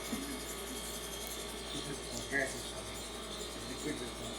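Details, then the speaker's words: Transfer line at room temperature being inserted to top up liquid helium (−269 °C). Faint, scattered high chirps over a low hum are helium gas escaping as the line cools. The chirping slows, and should become continuous once liquid flows: normal. "now you can hear the the chirping sound is slowing down and once this sound becomes continuous this means that you are forcing liquid helium through this line"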